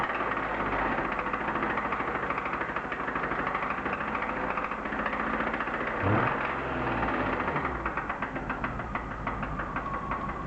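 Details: BMW E36 323i, M52B25, 140,000 km, idling with coil plug 1 pulled: faint regular light knock unchanged; owner now doubts suspected connecting-rod bearing damage, cause unclear.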